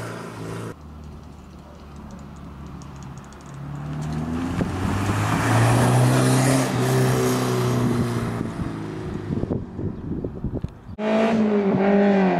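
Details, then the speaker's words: Toyota MR2 Mk3 ZZW30 with 1ZZ engine, repaired after rod bearing failure, on a homemade TIG-welded stainless exhaust with switchable valve: idles, then revs up smoothly with rising exhaust note and settles back, no knocking; healthy. "la voiture est déjà réparée que vous pourrez voir dans les prochains chapitres et on se dirige vers le futur pour écouter ce 1zz avec l'échappement."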